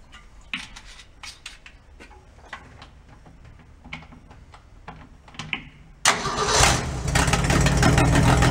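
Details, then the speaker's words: 1965 Ford pickup, long-sitting, choke suspected stuck, started with fuel poured in: scattered clicks, then abrupt catch into a loud, rough heavy run; loud running. "fuel sounds good doesn't it oh that's loud"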